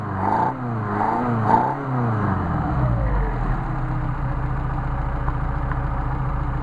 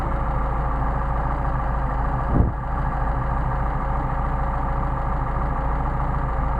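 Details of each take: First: Mercedes 190SL with rebuilt, adjusted Solex carbs, warm: from a smooth idle of about 800 rpm (1,000 indicated), three crisp blips dropping cleanly back to idle; nice, healthy throttle response before a hot start. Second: Mercedes 190SL with rebuilt, remachined Solex carbs: steady idle sags into a brief stumble and nearly dies as the very sensitive idle mixture screw is deliberately exaggerated out of range; set at midpoint between stumbles.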